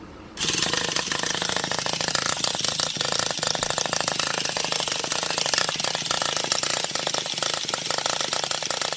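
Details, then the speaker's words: Traxxas Revo 3.3 nitro engine that made a clunk and cut off while driving; after two new glow plugs, fresh fuel and needle tweaks, primed and cranked: fast buzzy starter whir, wants to fire but never catches, owner suspects no compression. "Prime the engine, and then it just sounds like he wants to fire, but it sounds like there's no compression. I don't know, it just sounds weird."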